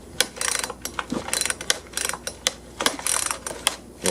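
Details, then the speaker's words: Husqvarna 120 chainsaw: pulling the recoil rope gives rapid ratcheting clatter in short bursts with no engine catch; pull rope feels like it's slipping, thought to still have compression, starter mechanism suspected. "it feels like something slipping i think it still has compression"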